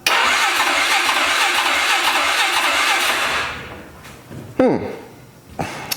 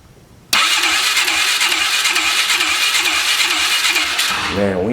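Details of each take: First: 2003 Polaris 500 H.O. ATV engine (167 hours, oil spraying into airbox), cranking with dry fuel tank: about three and a half seconds of even cranking at normal speed with regular compression pulses; healthy cranking, good compression. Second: 2003 Polaris 500 H.O. ATV on a compression test with the throttle blocked open. Fast, light, even cranking with no compression loading; the gauge reads nothing, and a faulty gauge is suspected; low compression.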